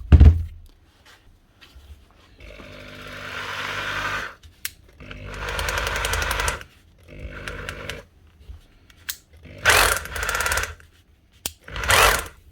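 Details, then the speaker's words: Makita HR2630 SDS+ rotary hammer drill after teardown, regrease and reassembly, testing all modes; short bursts of fast, even, strong hammering with clean starts and stops, normal hammer action. "nice one all the modes are working so that's correct"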